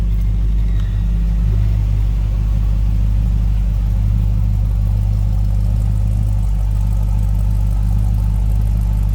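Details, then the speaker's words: 1966 Ford F100 with 403 V8 idling after an easy start, oil pressure up; deep, steady, even throaty exhaust rumble, no knocks or misses; healthy. "Nice sounding beep, little rumble out of that 403."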